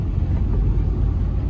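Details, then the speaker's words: Suzuki Alto K10 at 85,708 km, driving with AC on after engine overhaul for a missing and jerking complaint: steady, smooth low rumble, no knocks, ticks, misses or extra noise, no warning lights; normal running. "कोई check engine light, माल function light, कोई भी light नहीं है। Engine की voice भी बिल्कुल smooth है, कोई फालतू की नॉइज नहीं है इंजन में भी।"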